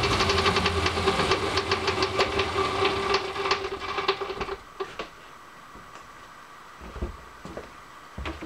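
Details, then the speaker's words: Busy metallic rattling, about four clicks a second, over the running hum of a machined component on a crusher build, dying away as it spins down after clearance machining; something is loose inside and it must be taken apart again. "Sounds like I got something rattling inside of there. I'm going to have to take this thing apart again."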